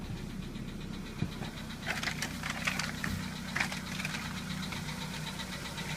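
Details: VW Polo Sedan engine at cold-start idle: light, quick ticking knock over the steady engine hum; knock fades as the engine warms up, cause not identified.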